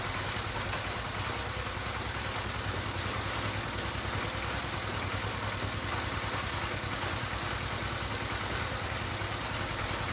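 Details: D15 S1100 single-cylinder diesel, after fixing the fuel line fault that caused heavy white smoke, uneven revs and hard starting: an even, steady thump at about three beats per second with no knocks. It idles cleanly.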